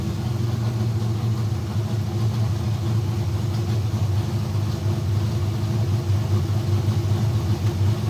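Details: Kyle Petty Pontiac race car V8 running in shop after electrical fix and carburetor bowl priming: loud, deep, steady even rumble, no misses, knocks or rattles; runs properly, though cranking voltage drop remains, rewire planned.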